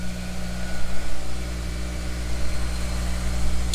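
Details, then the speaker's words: Honda S2000 just reassembled after cylinder head work, first start with preset timing chain taking a moment to build oil pressure and quieten: steady, even idle with smooth low hum, no ticking or knocking. "yeah timing chain again we preset the timing chain so it takes a second to build oil pressure and quieten"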